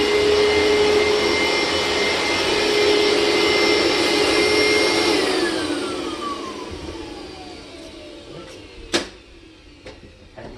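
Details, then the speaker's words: Hoover SteamVac Widepath carpet cleaner, about 20 years old, during a wet rinse pass: a steady vacuum roar with a whine, then the pitch slides down and fades, meaning the recovery tank is full and needs emptying. "Means time to dump."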